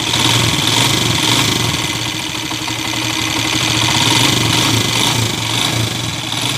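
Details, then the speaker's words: Honda TMX155 single-cylinder motorcycle at idle, still very noisy after timing gear replacement, with a loud rapid metallic knock over the exhaust beat; worn connecting rod with excessive play. "oh napakaingay pa rin mga kaabo yan oh sa Inay"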